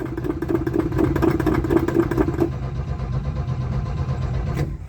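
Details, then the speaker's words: Old truck: rhythmic starter cranking at about two turns a second, but the engine never catches. No fuel is reaching the carburettor, and the owner plans to pour fuel down the carb. Cranking no-start from fuel starvation. "No, I think we're gonna have to give her a drink."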